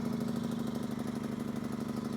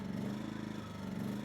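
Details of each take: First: Yamaha EF2000iS inverter generator after pilot jet work to cure surging. With the choke fully in and economy mode on, it gives a smooth, even, steady idle hum with no surging or blips. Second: Yamaha EF2000iS inverter generator surging at idle in power save mode, speed sagging and rising instead of settling; likely a clogged pilot jet. About three-quarter choke helps but doesn't fully steady it.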